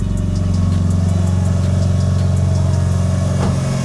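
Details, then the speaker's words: Mitsubishi Evo 9 after DIY timing belt replacement and clearing a crankshaft position sensor A circuit code, heater on: smooth, even four-cylinder idle with steady low hum, no ticking, knocking or belt noise; running healthy. "All seems to be okay. Got the heater on, so we're running a bit of air."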